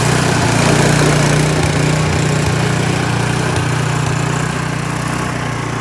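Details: Troy-Bilt snowblower that would not start, with an animal nest found inside, reassembled, then primed and started: the small single-cylinder engine holds a steady, even beat with no misses or surging, running healthy.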